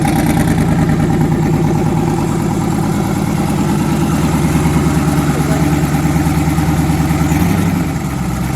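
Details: Twin-turbo V8, first start after conversion, oil pressure near 70 psi, head gaskets done last year: loud lumpy idle with recurring skipped beat in one exhaust bank's pulses; back cylinder dead, running on seven; misfire.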